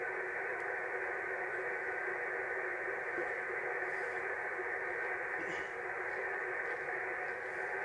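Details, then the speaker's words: Radio receiver tuned around 29 MHz picks up a constant hissing rush with no signal, interference from a nearby soldering iron. "Noises. Oh, it could be me soldering iron. There you go. Me soldering iron, guys."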